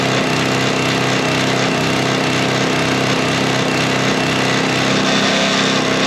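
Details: Sweepster TR-48 sweeper's small gear-reduction engine running during repair test: steady, even drone with no misses, knocks or surges throughout; healthy running.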